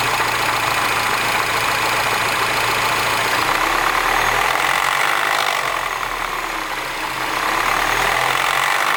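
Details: R56 Mini Cooper S, morning cold start: cold idle with fast irregular ticking rattle over a thin engine note; abnormal noise when cold, cause not identified.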